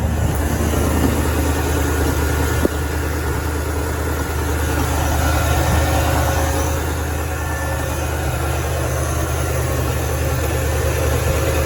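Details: Engine with freshly cleaned two-barrel carburetor, started after carb cleaner sprayed in and pedal pumped; catches and settles into a steady, even idle with a low smooth rumble, no knocks or misses; running normally.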